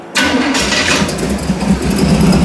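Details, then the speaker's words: Chopped Model A hot rod, just converted from 4x2 carbs to dual quads after years of carb trouble, capped headers, after fluid and brake service: catches instantly and settles into a steady, deep, even burble with no misses; normal start and idle. "She should just fire right up here."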